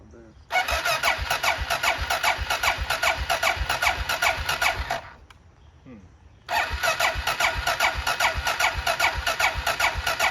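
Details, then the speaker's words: Used Honda XR650L bought non-running: two bursts of steady starter cranking at about two and a half turns a second, never a firing pop. Crank no start; plugs pulled were wet and there was no spark. "yeah we pulled put two plugs in it yesterday and both of them were wet and the files i put it to the head pipe and i was like turn it over and it was like nothing no spark"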